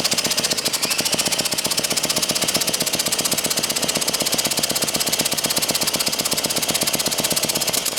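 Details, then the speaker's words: Early-1950s David Bradley walk-behind tractor engine, sat at least 20 years: fast, light, even chuffing with no firing; compression leaking through the valves, thought to be mostly the exhaust valve. "I think it's just not wanting to because we've got so much leaking through the valves so much compression leaking through the valves it's just too much"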